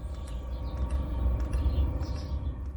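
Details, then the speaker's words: Chinese diesel air heater starting up after the glow plugs peak at about nine amps: faint, fairly regular ticking of the fuel pump kicking in over a steady low fan hum, which is normal. "the next things happen is the fuel pump kicks in"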